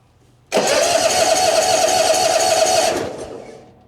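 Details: 2004 Hustler zero-turn mower, cold at about 39°F, choke fully out, jump pack connected: starter spins the engine at a steady chug of about four per second, never fires. Crank no start; no spark.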